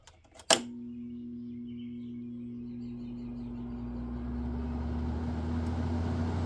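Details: Frigidaire/Electrolux 5,000 BTU window air conditioner (FFRA0511R1), possibly dropped, fan on low before the compressor starts: switch click, then steady low hum and soft airflow with no rattle or rubbing; normal fan on low speed.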